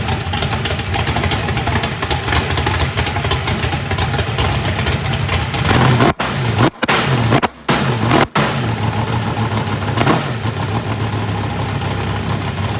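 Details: First fire-up of a freshly built 409ci small-block Chevy race engine, warming up: deep, lumpy V8 idle with clean blips rising and settling smoothly. Runs pretty good with good oil pressure (oil pressure spring shimmed). Normal.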